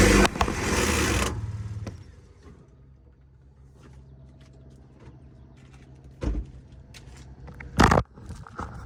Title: Trucks making this grinding noise can it be the converter? Need help